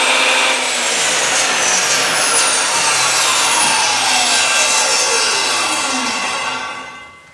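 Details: Craftsman table saw after repair with a new Sears plastic cup part in the spring-loaded carbon brush setup: steady high motor whine while cutting cleanly, then the pitch falls evenly as the blade coasts down; runs healthy.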